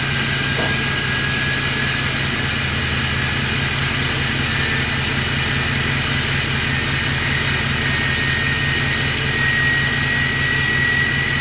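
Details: 2024 GMC Sierra 2500 AT4X Duramax L5P diesel, new turbo, not yet tuned, check engine light on: steady idle with a thin, high, constant jet-like whistle; normal, very loud turbo whine at idle.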